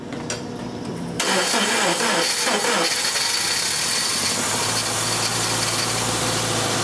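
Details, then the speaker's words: 1999 Subaru Impreza after a no-start, weak battery on a charger in start mode, possibly hydrolocked: cranks, catches with a few rough pops through the intake, then settles to a steady idle. "Nice. I was scared there for a second. Did you hear the popping through the intake? I was worried about a, you know, valve issue, connecting rod."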